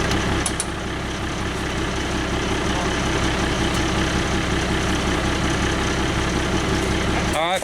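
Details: International truck with DT466 diesel, just bump-started by towing in about third gear: steady even diesel clatter at idle, smooth rhythm, no misses or knocks; excellent running engine.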